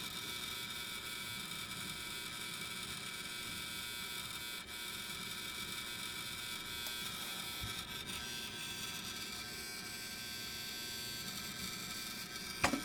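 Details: New Dell XPS 8920 desktop: the hard drive randomly turns noisy for short periods, heard as a low, constant buzzing whir in a quiet room with a few faint clicks near the end; the cause is unclear.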